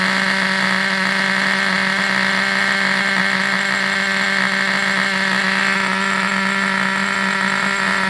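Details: Vintage Traxxas nitro RC buggy engine on the bench: high-pitched, steady buzzing drone at constant speed without misses or stumbles; running normally.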